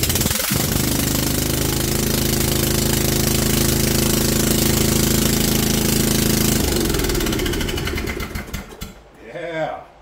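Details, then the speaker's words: 1998 Snapper riding mower during restoration, started with the muffler removed. A harsh, loud, sharp-edged single-cylinder bark stays steady at idle, then dies away at shutdown; the loud exhaust is because the muffler is off. "let's Crank It Up and see how it does no muffler on so it should be should be nice and quiet"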